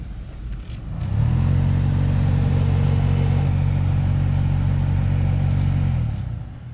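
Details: 2015 Honda Civic heater/AC blower motor behind the glove box, before the fix: fan spins up to a deep droning hum with a throbbing thump and vibration from debris unbalancing the fan wheel.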